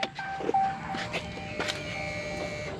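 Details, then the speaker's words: 2015 Ram 3500 6.7L Cummins after changing both fuel filters, key cycled to run for about 5 seconds: steady electric buzz with light burbling as the fuel pump primes the filters, no leaks seen; normal lift pump priming buzz. "if you kind of hear it you hear like the buzz and then like a little bit of burbling so you want to make sure that the fuel is not dripping dripping out so that's your fuel pump priming itself"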